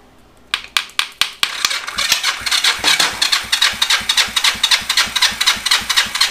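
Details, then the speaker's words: Yamaha XS400 project bike, wet compression test with oil added to the left cylinder, reading far higher than the initial healthy 150 dry; starter spins about four pulses a second, each stroke pushing back firmly and evenly: strong cranking compression. "Yeah, big difference from adding a little bit of oil to it. But our initial number being 150 was very healthy."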